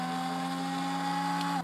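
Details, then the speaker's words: Jet Central kerosene-start RC turbine fuel pump primed via hand data terminal test: steady electric hum with clear whine near 800 Hz, even until cutoff; pump purging air bubbles from fuel line, priming normally. "so now we can hear the pump starting to run we see our fuel moving so we're priming the fuel system"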